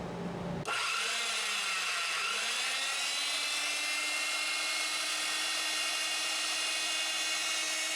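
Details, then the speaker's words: PowerSmith PS2814A dry-cut metal saw after repairing a cracked blade-lock housing with epoxy and regreasing the gearbox: motor spins up to a steady high whine with even gear hum, no grinding or knocking; sounds same as before repair. "I mean, it sounds exactly like it did before, at least in terms of uh gear noise and anything you hear there."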